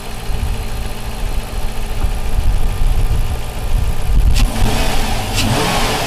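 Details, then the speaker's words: Dodge Magnum 5.7 Hemi V8, high mileage, after cylinder head valve seat repair with new plug boots and coolant refill: even steady idle with light blips, no misfire, ticking or knocking; running normally again. "well there it is back to running again sounds good"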